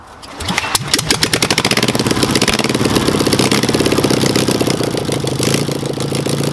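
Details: Engine with a Solex 30 PICT carburettor after fixing a stuck pump ball valve and missing jet, and refitting the original needle valve to stop flooding; a fuel leak was still present. At full throttle the exhaust beat is ragged and stumbles, a high-rev misfire.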